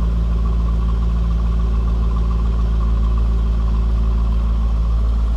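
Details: 2004 Chevrolet Corvette Commemorative Edition coupe, 52,000 miles: smooth, even low V8 idle with a steady rumble and no knocks, ticks or misses; normal, healthy idle.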